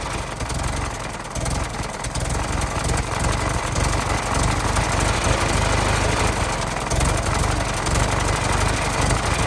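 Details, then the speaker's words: 1916 Federal Motors truck, 107-year-old four-cylinder that was seized and sat 50+ years, bottle-fed fuel, rusty radiator being filled with water; even, steady idle about three beats a second, no misses or knocks, runs real good: normal idle. "I gotta say she runs real good for being 107 years old and sudden for 50 years it's crazy how good these things will run once you get them started"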